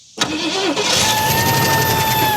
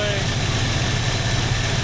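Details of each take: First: 1968 Ford Mustang sitting 30 years, first start: fires and runs about two seconds with a high whistling tone that sags, then dies; source of noise unknown; unidentified noise on start-up. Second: 1968 Ford Mustang that sat 30 years, now running on its own with the accelerator pump working: a steady, even, low throbbing idle with no misses, though the carb is still described as wonky. Normal idle.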